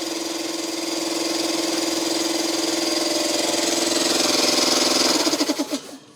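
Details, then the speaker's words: Long-stored air compressor, seized pump freeing up after hand-turning: steady mid-pitched hum with rapid even pulse about three beats a second, now running normally; oil level uncertain, so run only briefly. "it's freeing up should we turn it on again let's reset that oh she's working now"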